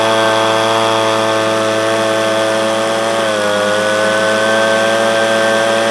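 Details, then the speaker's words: Echo PB250LN handheld blower, warm, full tank, after new air filter, fuel filter and spark plug (previously bogged at operating temperature, full throttle): steady high two-stroke scream at full throttle, brief dip, no bogging; fixed. "but after doing the air filter the fuel filter and the spark plug I have alleviated my problem"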